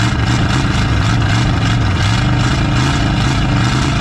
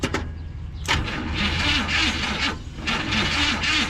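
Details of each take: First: 1970 Chevy C30 V8 (owner thinks a 350 small block), parked up to 38 years, first run with a new battery: rough lumpy idle that settles into a steadier loping run while smoking heavily. Runs and sounds good. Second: 1970 Chevy C30 farm truck, V8 350 small block (owner thinks), parked up to 38 years: starter cranks slowly and unevenly with no firing, cylinders full of fuel against high compression; flooded carburetor, float not closing needle and seat.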